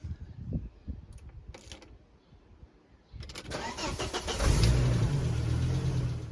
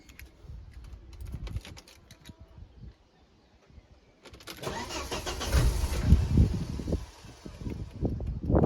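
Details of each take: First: 1997 Volvo V70 T5, 5-cylinder turbo, manual: cranks, fires for a split second, then dies; owner believes the chip in the key carrying the remote fob has failed and is not communicating with the ignition antenna ring, so the immobiliser prevents starting. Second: 1997 Volvo V70 T5 manual, 5-cylinder turbo, about 160,000 miles, with a crank-no-start fault caused by a failed key chip and ignition antenna ring: with the working second key the starter whirs briefly and it catches to a steady, even idle, a normal start.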